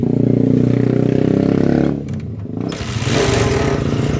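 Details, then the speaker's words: Honda TMX 125 single-cylinder after a tune-up with the nut fitted flipped because of worn threads: even thumping idle dipping on throttle blips and settling, no ticking or rattle; noise gone, normal running. "Hala! Wala nang ingay guys. Alright guys, ulitin natin. Baka na chamba-chamba lang."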